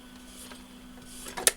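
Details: BSR record changer from the 1970s–early 80s, tested with a plastic 45 adapter and no stylus fitted. Low steady motor hum, then one crisp clack as the arm mechanism trips and resets; the changer is cycling properly.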